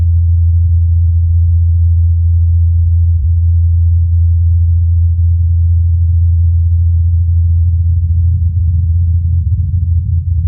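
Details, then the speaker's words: NASA Ingenuity Mars helicopter's fourth flight recorded by the Perseverance rover's microphone in Jezero crater: steady even low hum of the rotor blades spinning smoothly. "incredibly during the helicopter's fourth flight perseverance recorded the humming of the blades"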